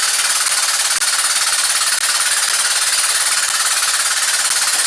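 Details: Engine with 40 psi oil pressure running with a fast, harsh, steady hammering knock of about three to four blows a second from the number one cylinder, which was damaged before; a wrist pin is suspected but not confirmed.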